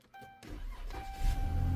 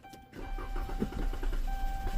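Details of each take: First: Push-button-start car towed in as a no-start, just after fuel pump replacement: short crank, engine catches right away and settles to an even idle; normal start, repair verified; check engine light likely from unplugged air temp sensor. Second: Car that won't start, cranked with throttle-body cleaner sprayed down the intake to simulate fuel: uneven cranking catches and runs roughly for a few seconds; no fuel delivery, suspected failed fuel pump pending check of its power and ground.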